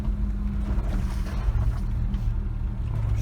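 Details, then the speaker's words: Kia Sportage I tailgate after repair, old-hose rubber bumper: cabin on rough road, only low even road rumble, no knocks or squeaks; tailgate rattle and squeak gone. "грохот пропал ну и скрип соответственно тоже сами все слышать как было и как стало"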